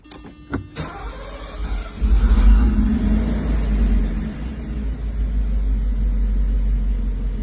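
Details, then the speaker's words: 1984 Mercedes 380SL after replacing the 40-year-old engine control unit with a new old stock one (oxygen sensor replaced earlier) for rough idle and black smoke: brief crank, quick catch, deep even steady idle; no black smoke, fixed. "I think she's pretty much fixed she's this problem is solved and it definitely was the engine control unit um if you know 40-year-old part it it happens uh but she's back to normal"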